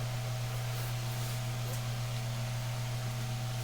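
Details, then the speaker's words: Mainstays SFC-225BR-1 9-inch high velocity fan, serviced out of the box: smooth constant motor hum with steady airy whoosh, distinct running sound, no ticking or wobble; running normally. "and you can definitely hear the running sound this thing has this is a got a pretty distinct running sound which I I do like it believe it or not I love the running sound this fan has"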